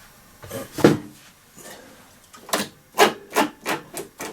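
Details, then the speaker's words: Hyundai walk-behind lawnmower, second rear wheel with cover off, freewheel unit clean but noisy, wheel spun by hand: uneven dry rasping with clicky bursts about every third of a second; dry freewheel mechanism, quiet after lubrication. "Okay, this is the other side of the lawnmower. I've taken the cover off, but this one's making the same noise again."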